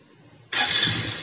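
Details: Honda Supra X 125 fuel-injected motorcycle, previously sluggish and heavy on throttle, after throttle body and filter cleaning: short starter burst catches cleanly at once and settles into an even run; normal start.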